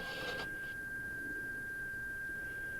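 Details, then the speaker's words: Sharp RT-1165 cassette deck playing a 3000 Hz test tape through the headphone jack: a pure steady tone measured around 1587 Hz, half the proper pitch, so the tape runs at half speed and the motor is too slow. "that is about half of what it should be so I'll go ahead and stop so what that tells us is the motor is running too slow"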